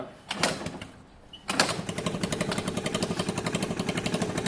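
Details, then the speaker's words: Scooter single-cylinder engine after reassembly with gasket surface scraped, piston and rings, being warmed up; after a brief stumble it catches and settles into a crisp, even beat with no knocks or rattles, running healthy. "yeah that sounds good i don't like any revs at all"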